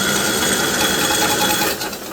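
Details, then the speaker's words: 1958 Wisconsin AENLD engine salvaged from a street sweeper, spark plug out, cylinder pre-oiled, starter run off a truck battery, believed 12 V setup: fast, even whirring spin with no compression pulses, turning freely and cranking like it should. "I'm thinking this is a 12vt crank or something like that because that's cranking like it should"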